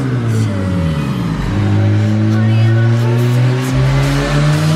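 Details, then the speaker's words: Kraftwerks-supercharged K24 swapped Honda Insight on 13 psi boost: engine pulls hard with rising pitch, then the note sags around upper revs before climbing again, dropping in and out of VTEC like a non-VTEC motor. Intermittent power loss at high rpm, cause unknown. "So what the car is doing right now is it would come into VTEC and then get out of VTEC, and then it'll flat out like, sounds like a non-VTEC motor."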